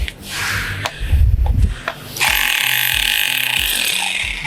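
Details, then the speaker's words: Mollar HD826 800 W SDS Plus hammer drill with a chisel bit set vertical, chiseling concrete: after handling knocks, a steady rapid hammering chatter with a high hiss holds evenly; normal operation. "oke gampang banget ya untuk pengaplikasiannya jadi e satu mesin ini bisa beberapa fungsi untuk pengeburan bisa pemahatan"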